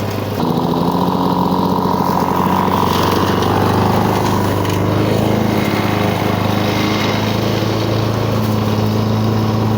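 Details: 1985 Lawn Boy 7350 two-stroke mower, revived after years outside, cutting weeds; continuous even drone holding steady, no surging, misfires or rattles; owner says real good running but running a little lower RPM.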